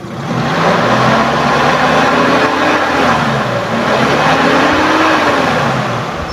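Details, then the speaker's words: 1997 Suzuki Sidekick, revved from idle: the tone climbs and falls evenly through a couple of blips with no knock, tick or rattle, and stays smooth; healthy revving. "udah kita naikkan RPM dan suaranya tetap halus tetap oke Insyaallah mesin ini dalam kondisi normal"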